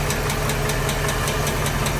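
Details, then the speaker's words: GM remanufactured short block idling with sharp regular light ticking about five per second; suspected lifter tick on the valve side, not yet checked; remanufactured engines may need valve adjustment. "getting a little ticky tick. The valve probably back here. Pretty sure it's on the valve side, so I'll double check it, but it is running, guys."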